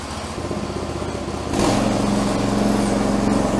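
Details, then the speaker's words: New stock 212 Predator engine swapped into an old mowing tractor, fresh 10W30 oil and fresh gas, in neutral, first start: catches after a brief crank and settles into a steady, even putter; normal running. "Probably have to crank it a few times. These new engines usually take a minute to prime up. So, here we go. Tractor is in neutral, so it shouldn't go anywhere. That was easy."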